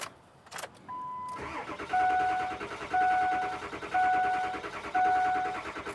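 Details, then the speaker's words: 2003 Ford F350 7.3L diesel, intermittent crank-no-start: with the IPR regulator and sensor disconnected to force maximum output, the starter cranks evenly with no catch or firing; still won't start, low boost code noted. "Now, when you disconnect those two, we should go to maximum output, and let's see if it's gonna start. Nothing."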